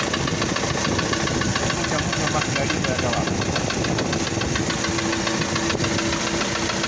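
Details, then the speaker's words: Engine of a prospective motorhome vehicle running with a dull knock about twice a second, located low near the crankshaft under the injection clatter; bottom-end knock that is not normal even before the engine warms up. "muchos le van a decir no este ruido es un golpeteo Hasta que el motor levanta temperatura no es normal motor tiene que estar parejo en ruido"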